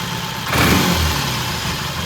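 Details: 1968 Triumph T100 twin with a new battery, with throttle cable slack and mixture adjusted: catches, takes a quick throttle blip and drops back to a steady, even idle. Timing, mixture and idle are good.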